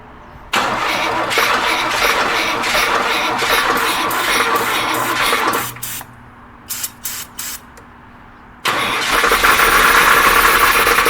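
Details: A jump-started engine, with keys cycled and gas smell present, cranks with steady starter churning about four beats a second for several seconds without catching, then cranks more. The engine turns over but won't start.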